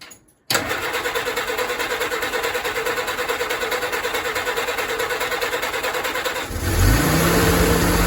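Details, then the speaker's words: Willys CJ2A with a newly installed, professionally tuned WO Carter carburetor, not primed: steady starter cranking at about three beats a second for six seconds, then the engine catches and settles into an even idle. "so let's go ahead and do some cranking on it I did not prime this or do anything to it so let's see how it starts"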